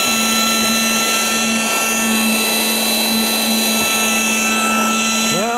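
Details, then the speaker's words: Battery-powered air pump deflating a Coleman air bed, after batteries put in upside down were corrected: steady, even motor hum with constant pitch and rushing airflow throughout; pump running normally. "that's sucking the air in there and blowing it out there and when you get all the air sucked out you just fold it up just like that"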